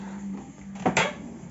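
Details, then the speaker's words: Dishwasher door hinge after removing the cover and lubricating the squeaking hinge mechanism: two soft clunks as the door moves, with no squeal or creak left. "уже не скрипит все"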